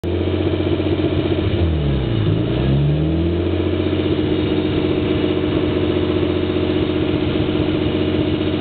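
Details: Nissan S13 with RB20DET: engine dips and recovers, then settles into an uneven, hunting, loping idle; rough idle, cause not yet found.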